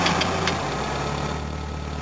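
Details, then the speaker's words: 1970 Volvo, overheating (cooling fan issue), idling with aircon switched off: even low idle with a thin steady hum from the noisy fuel pump over the top; normal idle with fuel pump hum. "Now you can just hear engine and fuel pump."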